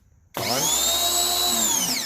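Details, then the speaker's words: Ryobi 2000 PSI electric pressure washer, used once, after the clogged piece was removed from the handle: motor kicks on sharply, holds a steady high whine, winds down on release; cycling normally again. "Back to normal. Turn it back on. Okay. On and off with the handle, on and off."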